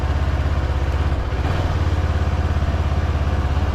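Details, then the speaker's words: 700MT big-twin motorcycle idling in neutral, after a fix for the TFT screen cowl vibration noise: deep, loping idle with an even firing beat, no rattle or buzz from the front bodywork. Normal idle. "so um just take it take it out into neutral don't you love the sound of these big twins they're very much like a V"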